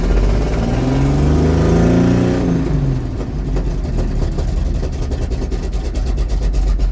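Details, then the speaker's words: Cold start of a 1951 GMC Van Pelt fire engine inline-six at about 38°F, long unprimed, with pedal pumping. The engine races and surges for seconds, then drops to a loping tick. A new runaway that never happened before; throttle hanging open. "well then I guess uh well that's gonna be for another tale then a little bit of a runaway there it didn't happen before"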